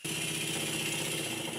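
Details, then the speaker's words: Small Stuart 10V steam engine on compressed air, flywheel loaded by hand after refitting valve chest cover: rapid hard knocking with air hissing out each stroke, little power. "when I apply any pressure to the flywheel there clearly isn't much power and the engine knocks badly"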